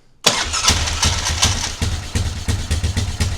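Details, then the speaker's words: Yamaha Grizzly 600 ATV (about 1998–2001) restart: silence, then fires at once and settles into an even single-cylinder putter around 150 beats a minute; healthy start and idle. "Oh yeah, this thing's going to be a runner. I mean, it's obviously running. Let's see if it starts right back up."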